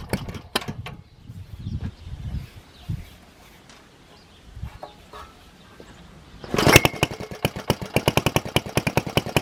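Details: 1947 Planet Jr. BP1 with Briggs NPR6 single-cylinder engine after repair, running on carburetor with air cleaner off, mounted on bench: scattered clatter then catches and pops in quick even beats about six per second; normal running.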